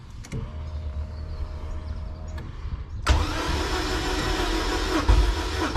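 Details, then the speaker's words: K24-swapped Honda EG before first start, injectors disconnected to prime oil through the system: faint pump hum, then steady starter cranking about ninety beats a minute, even and free of knocks; sounds good, healthy cranking. "Here it goes. Okay, so we are priming the oil through the system. It sounds good."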